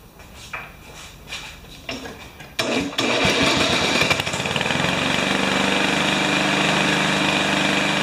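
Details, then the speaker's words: Remington mower with Powermore engine: two pulls, then it catches and runs with a busy metallic rattle over its beat, a so-called death rattle suspected as internal damage, not confirmed. "i think it's maybe got something bad going on inside you hear that eh yeah i think it's got the what they what this lawnmower guys call a death rattle"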